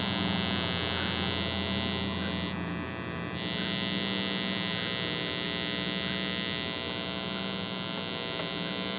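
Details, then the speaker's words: Ecoflow River 2 Pro inverter AC output powering speakers at full volume: steady low hum with faint buzz from the speakers that disappears when the AC is switched off, noise possibly picked up through the speaker cables. "so we do hear we do hear hear a little bit of hum we do hear a little bit of noise coming out of the speakers"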